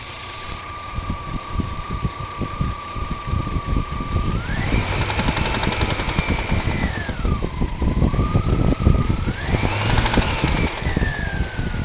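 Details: 1997 Bravada 4.3L Vortec V6: rough, uneven knock with a rising whine from the passenger side top. Rockers and pushrods replaced; lifters and head gaskets done two years ago. Owner suspects lifter or rod knock.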